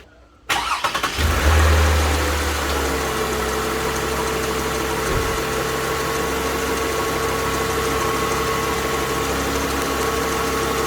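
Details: Toyota Alphard 20 series at first start after replacing the oil-damaged alternator and reassembling: starter cranks briefly, engine catches with a short flare, then settles to a steady, even idle with a faint belt-driven whine; runs normally.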